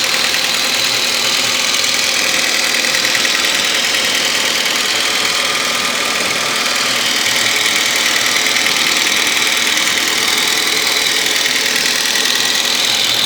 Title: ADR Knocking noise